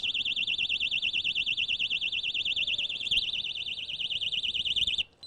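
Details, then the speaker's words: Kovix KTR-18 alarmed trailer lock sounding its 120-decibel tamper siren after a warning during persistent removal attempts. The loud, piercing warble is around 3 kHz, wavering about three times a second, then stops when the key is turned. "you get one warning we're going to be really persistent trying to get it off you get a second one then that's going to stand at 120 decibels"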